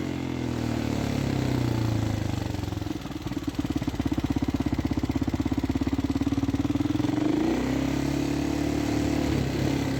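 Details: Used Husqvarna SM610 supermoto with a knocking engine: single-cylinder thump at idle, then a rev and settle, with an uneven knock in the firing; engine knock, cause unknown.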